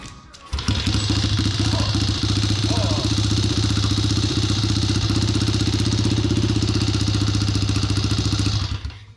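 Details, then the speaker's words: Chinese mini pit bike with swapped 125cc engine, first run after new cylinder and piston with oiled cylinder: small single revving hard, fast uneven pulses with rattly edge; abnormal noise, source unknown. "Well, I don't know what that sound is."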